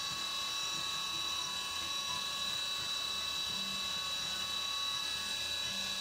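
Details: CNC 3D contour pass machining AR15 high rail gasblock side; steady even high-pitched cutting whine with no rattling, no chatter on the back side of the part since it is not gouging material there.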